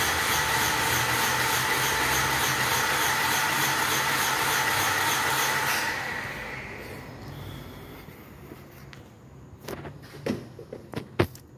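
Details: 2017 Renault Logan 3-cylinder with misfiring, low power and hard starting despite new coil and plugs, cranking during compression test: even whirring rhythm about six seconds; cylinders read 150, 30 and 150 psi, broken head valve.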